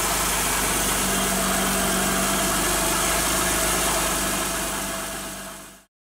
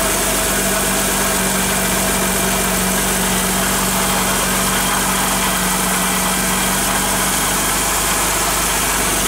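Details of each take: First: Car idling with a steady, piercing high squeal from a drive belt that got wet and slips on its pulleys; recorded before the fix of applying cornstarch to the belt. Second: Car idling after cornstarch (maize flour) was applied to the pulleys of a belt that squealed from getting wet: a smooth, even hum with no squeal or chirp. Normal idle, the squeal is gone.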